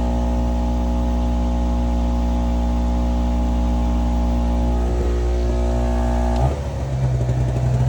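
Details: Small two-stroke Chinese generator of unknown history (label 1000 W peak, 850 W rated), adjusted with a slightly sticky linkage and over-volted, powering a heat gun at about 830 W: steady even drone with constant low hum holding speed; healthy under heavy load.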